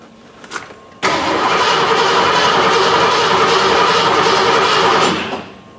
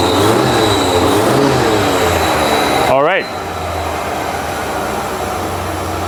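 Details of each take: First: Ford F150, 39 years old, towed in: with fuel pump powered and running, starter cranks the engine in an even, fast rhythm about four seconds but it never catches; crank no start. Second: 39-year-old Ford F150 after fixing a crank-no-start caused by two missing engine computer grounds: it blips and drops to a steady, even idle with a loud open-intake roar (air filter box off); normal idle.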